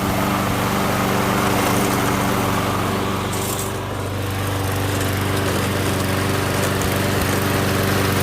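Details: MTD Gold self-propelled mower with Briggs & Stratton Quantum engine, primed and started outdoors after pull-rope repair: steady, even single-cylinder drone, constant speed, no misses or knocks; runs good, self-propel intermittent, owner suspects stripped front wheels.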